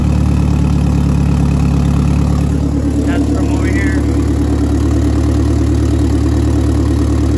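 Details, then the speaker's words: Mitsubishi 4G63 DSM engine started after repairs including new exhaust gasket: steady idle with light uneven ticking about three per second over engine note, exhaust leak still present. "there's still an exhaust leak which kind of stuck"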